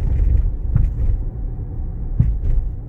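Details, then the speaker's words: 2016 Nissan Rogue AWD, test drive on a bumpy road after fixing a heat shield rattle under acceleration with fender washers and fluid film: low steady road rumble, a couple of dull bump thuds, no metallic buzz or rattle. "it's fixed gaze that was all it was no more rattle under acceleration"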